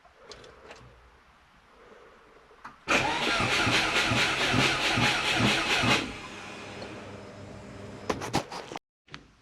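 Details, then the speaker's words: Subaru Forester, battery run flat then jump-started, fuel-wet plugs cleaned and TPS replaced with a wrecker unit that now reads properly: about three seconds of steady, even cranking with regular compression beats, never catches. Crank, no start, cause not yet confirmed. "Great. Now, it's not even starting."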